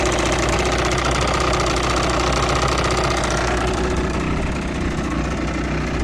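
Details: Yamaha TDR/DTR 125 two-stroke (5AE), cold idle: crisp, even ring-ding held steady with no knocks or misses, clean and not yet smoking. Owner suspects tired exhaust valve seals, running slightly worse than the original 4FU.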